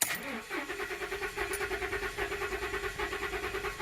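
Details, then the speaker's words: 2015 Ford Super Duty 6.2L V8 still misfiring after new plugs and coils, during a relative compression cranking test. The cranking beat is uneven, with one lighter, quicker compression stroke each turn; low compression (dead hole) in cylinder 7. "again yeah this has a this has a dead hole"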